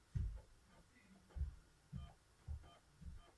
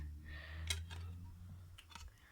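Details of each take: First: Xbox One S loading a disc; soft irregular thumps as the disc seats, then brief quiet whirring spin-up; normal disc loading, reference for comparison with a noisy Xbox 360 disc it won't read. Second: Xbox One S disc drive reading a dirty Xbox 360 Burnout Paradise disc; faint irregular clicks over a low fan hum as the drive keeps failing to read; disc drive clicking on a dirty disc.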